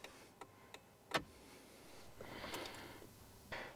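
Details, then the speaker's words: Renault 5 Gordini Turbo (Renault 5 Alpine Turbo) classic car cabin: indicator telltale gives a few soft, evenly spaced clicks about two and a half per second, then handling noise; normal indicator flasher ticking. "but just listen to the indicator Telltale noise oh that is so nice it's such a nice sound you don't get that on a modern"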